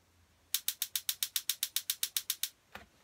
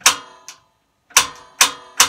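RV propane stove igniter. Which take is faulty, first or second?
second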